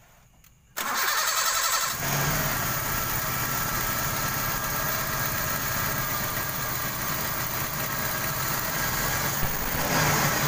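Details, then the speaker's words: 1995 Toyota Kijang 5K cranks, catches, settles into uneven hunting idle; new plugs, carburetor and valve adjustment gave no change; vacuum leak at distributor line feeding cylinder 1 intake, acting like dead plug. "Setelah dianalisa ternyata ada penyakitnya di sini ya teman-teman ya. Ini bagian angin yang menuju ke intake bagian nomor 1 itu seperti busi mati ya."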